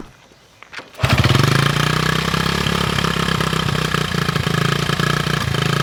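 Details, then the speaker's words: 1974 Honda XR75, 48-year-old single, new carb, air screw set 1.5 turns out while choke moved: catches and settles to uneven, lumpy irregular idle; little improvement over old carb. "it really doesn't sound much better than it did with the old carb so I set the air screw one and 1 half turns out and slowly mov the choke lever up and down to see what the effect was"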